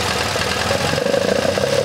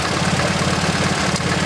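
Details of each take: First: MGB GT after fixing the faulty Lumenition ignition module: even steady idle with slight cam lope, no missing beats; normal idle. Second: MGB GT with Lumenition optocoupler electronic ignition at idle: lumpy, uneven, stumbling beat; strobe shows no high-tension flashes on cylinders 2 and 3, spark too low; misfire on two cylinders.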